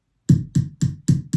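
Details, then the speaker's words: 1980 Hondo II Professional Series bass, neck pickup volume up through an amp: five clean, evenly spaced thumps as the pickup is tapped, gone with volume off; neck pickup wired and passing signal during the broken selector switch repair. "and then you hear that tapping if i turn the volume back off it goes away so we know that at least the neck pickup is wired there's signal coming through"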